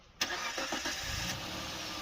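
Engine catches on the first crank and settles straight into an even, steady run with no misses or knocks; sounds healthy.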